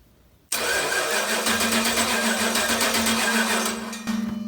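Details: Junkyard 2010 5.7 Gen III Hemi on a homemade run stand with the factory PCM and wiring, cranked while a test light checks injector pulse: steady starter cranking at about four beats a second, never catches; injector pulsing confirmed.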